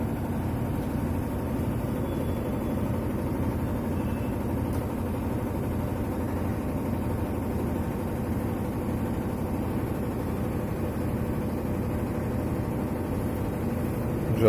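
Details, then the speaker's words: Whirlpool White Magic Pro XL 800S washer on spin after a vibrating bag was taped down with double tape: even, steady low hum with no thumping or knocking; the earlier noise is gone, spinning normally. "आवाज़ आ रहा था आवाज़ बंद हो चुका है, सॉल्व हो चुका आवाज़। जो आवाज़ पहले आ रहा था आवाज़ अभी नहीं आ रहा, प्रॉब्लम सॉल्व हो चुका है इसका।"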